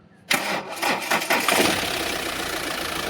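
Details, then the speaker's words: Mahindra Xylo with a squealing belt complaint, run with the AC belt removed: the engine fires, takes a few throttle blips, then idles steadily with no squeal, so the AC compressor and adjuster bearing are clear; the old belt is weak and is being replaced. "Noise இல்ல race விடுங்க."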